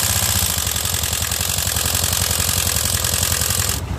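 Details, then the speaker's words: Honda Beat scooter that stalls and idles heavily, engine recently overhauled, oil sprayed in spark plug hole; harsh clattery rough idle with lots of mechanical rattle, problem suspected in the engine or decompression, not the CVT. "terus pas dihidupin suaranya Kasar banget kata orangnya sih ini belum lama turun mesin ya guys Nah ini bisa kita dengar sendiri untuk bagian mesinnya berisik banget ya guys"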